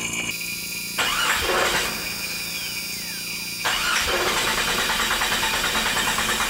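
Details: 1996 Jeep 4.0L crank-no-start with no spark: two bursts of steady starter cranking, never catching. Ignition coil failed while the A/C system was being serviced; fuel pump and fuel pressure ruled out.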